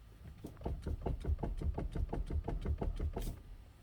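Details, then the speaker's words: Car steering wheel rocked back and forth while stationary: dull low thuds about three per second from the customer-installed cheapest online struts, which are knocking. "that noise that's from the struts the customer put his own struts in and they are the cheapest struts you can find online"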